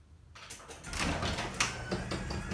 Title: Grand Finale of The Squeakiest and Loudest Genie Garage Door In The World!!!